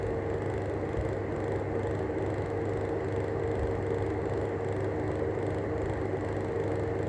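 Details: Arlec 200mm exhaust fan with worn bearings: steady rough rumble with a scratchy grinding texture and a faint constant whir underneath.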